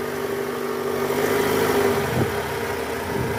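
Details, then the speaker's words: 2008 Toyota Camry 2.4 V, 2AZ-FE engine, in R at idle: gritty growl with wavering mid-pitched hum from the belt area, worse under load around 1200 rpm; weak accessory belt tensioner spring, fixed by replacing tensioner. "ini ngorok jelas banget ya Oke jadi kali ini kita mau ganti Tensioner isi di mesin 2 Z Toyota Camry tahun 2008 ini kita udah siapkan partnya"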